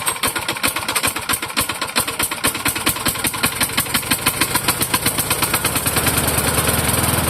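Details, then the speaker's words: Tired vintage Toro mower that pops smoke on throttle, possibly flooded from tipping. Sharp uneven knocks as it fires and picks up speed, then smooths out; cause unknown, owner wonders about piston slap since the blade didn't seem loose. "Well, aside from that little knock sound when it first starts to you know fire and pick up speed and take off."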